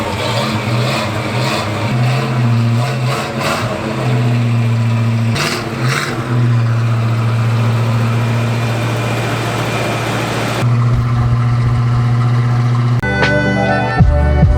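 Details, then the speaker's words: Carbureted car, carburetor recently rebuilt and being tuned, very cold morning: strong, even drone held at a raised idle speed with no stumbling; normal cold-start fast idle during warm-up before idle is turned down. "so right now we are in fast idle which is what the car does when it's super cold outside it needs to warm up so that we can turn it down a little bit"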